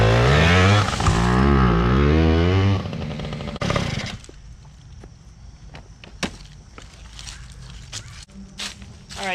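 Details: PW80 two-stroke minibike, repaired, with a new rear tire and tube, described as pretty hot: revs crisply up and down for a few seconds, then drops away to quiet; clean and healthy.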